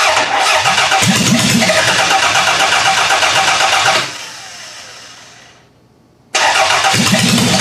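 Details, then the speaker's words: Demolition-derby car engine from a garbage pile: even cranking at about four beats a second, brief stop, cranking again with no firing; test plug shows no spark, water coming out, owner suspects bad coil pack. "usually they fire up a lot easier than this it's either that or I have a bad coil pack"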